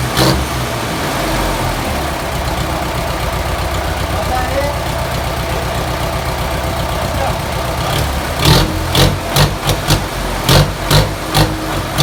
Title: Engine sound check ripair genuine Crank #shorts